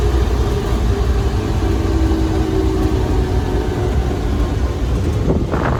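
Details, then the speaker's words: 1934 Ford Model BB dually truck, flathead V8, while driving; steady low gear whine over a deep rumble, louder than the engine; normal gear noise. "well you know you really can't hear the engine in this thing when you drive because the gears make the most noise as you can hear"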